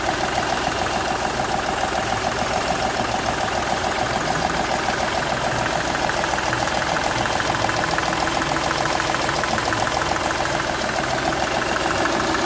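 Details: Seat Ibiza 1.2 TDI diesel at idle with a steady sharp tick and chuffing puff about three times a second; compression is leaking from cylinder 1 past the injector seal, which shows a burnt section.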